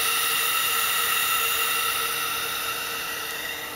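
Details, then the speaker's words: Factory plastic Evo 8 diverter valve on a bench rig with a low-flow compressor at room temperature, about 20-21 psi: steady, high, airy hiss with whistling tones that fades as pressure drops; leaking, and the owner expects worse at under-hood temperature. "uh we didn't change anything on the regulator we were able to make like 26 lb before and this thing is not going to go more than like 20 lb and this is at room temperature too under working temp under hood temp uh and charge temp thinging leaks even worse kind of hear it coming out of"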